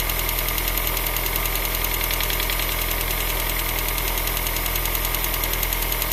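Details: Opel X20XEV engine at idle: steady even tick about three to four per second over a smooth idle, apparently from the top end; cause not identified.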